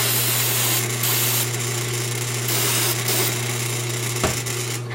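Steady low hum with spray hiss over it and no scraping or grinding; the roller turns smoothly and stays well lubricated.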